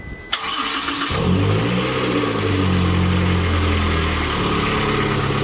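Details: Spartan Warrior hydro jetter engine after fitting a replacement radiator hose 2 in shorter: cranks briefly, catches and settles into a steady, even idle with no knocks or misses, starting and running clean.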